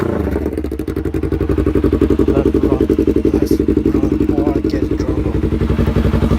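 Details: Yamaha R3 after installing a block-off plate, decelerating while riding: steady even pulsing about four beats a second with no flames, pops or crackles from the exhaust; clean deceleration.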